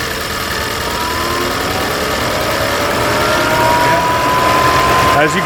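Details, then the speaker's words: 2020 Ford Escape with code P1299 just after replacing both coolant temperature sensors: engine idles as cooling fans kick on immediately, steady airy rush building; computer still reads over-temperature until the code is cleared. "can hear by the fans kicking on and it still thinks it's immediately"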